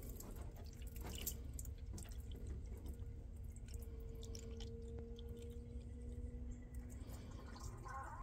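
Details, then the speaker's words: 2007 Toyota Sienna engine running with a low rumble and irregular wet drips and taps: coolant leaking from a failing water pump that wiggles, though a leaking hose is possible. "Oh, listen to that. Now it's making noise. Oh yeah. That's definitely a water pump leak."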